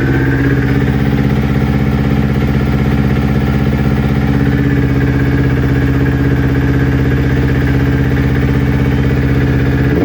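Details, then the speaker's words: Newly built Kawasaki Ninja twin that bogged and stalled when warm, after ignition coil pack replacement: steady, even idle with no misses, consistent past the usual warm-up problem temperature; both exhaust manifolds equal at about 258 °C. "right guys, like you can see, the idle is consistent now. The temperature has gone way past its normal problem area."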